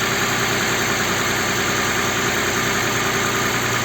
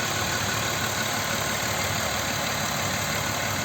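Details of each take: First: Audi Q7 3.6 FSI VR6 with a knock during warm-up, start after replacing the timing chain kit, oil pump and flushed hydraulic lifters: smooth quiet idle, even hum, no ticking or rattle; normal idle. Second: Audi Q7 3.6 FSI VR6: a dry, busy rattle over the idle that is absent cold, appears and grows louder as the engine warms, and vanishes when driving. Compression checked. Owner suspects the cam phaser.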